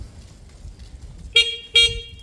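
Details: CD200 motorcycle powered up on a battery, engine not started for lack of oil: two short, bright horn toots with clean, steady pitch; horn getting full power, sounds healthy.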